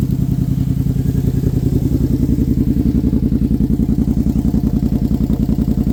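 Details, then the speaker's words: Brute ATV at first startup on Klotz Nitro, with the original fuel still running through the system: a fast even thumping idle with no misses, clatter or hunting. Normal healthy idle. "idling good sounds good all right so we're going to let this thing run for a little bit"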